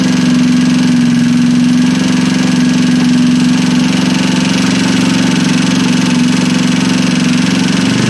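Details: Freshly assembled Trailmaster 150 stroker single-cylinder engine, cleaned head and valve job, first start: steady fast, even putter with no tapping or clatter; clean healthy idle.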